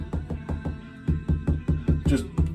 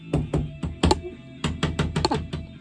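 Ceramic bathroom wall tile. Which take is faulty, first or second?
second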